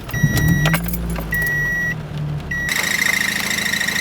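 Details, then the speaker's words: Modified Toyota Echo at idle after start: a steady high whine over the engine from a worn clutch throw-out bearing, first mistaken for a poorly mounted exhaust. It stops when the clutch is tapped and gets louder when driving. "yeah you hear that that's the throw out bearing i thought it was the exhaust because it wasn't mounted properly"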